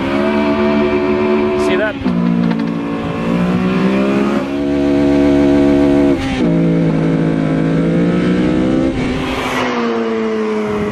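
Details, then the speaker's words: Mugen Civic Si on OEM engine mounts before Hasport billet mount swap: hard revving launch with engine note dipping and surging unevenly as tires grip and slip; wheel hop from engine movement on the mounts. "dude that is wheel hop and is also from the motor movement the motor is Ashley doing this as the tires grip and then slip and then grip again and the engine is moving based on that"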